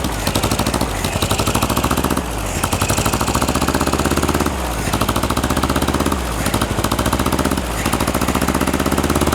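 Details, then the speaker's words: 1960s air-cooled VW flat-four dune buggy revived after a decade, fuel fed manually; steady even chuffing idle with no stumbling, idling normally, though timing is suspected still slightly off. "There we go. Now it's idling. test the throttle down here. is idling nice."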